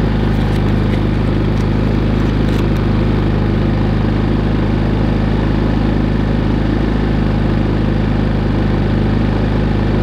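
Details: Harbor Freight Predator 3500 inverter generator, push-button start, run about two minutes after sitting a couple of weeks; steady deep drone, even beat about four per second, no hunting or knocking, running smoothly.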